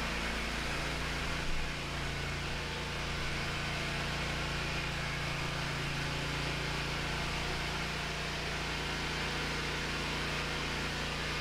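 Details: Hustler Raptor SD zero-turn mower, on jack stands after seat switch fix and battery recharge, had been dying when moving or engaging the deck; steady, even roar and low drone with no knocks, stumbles or surges.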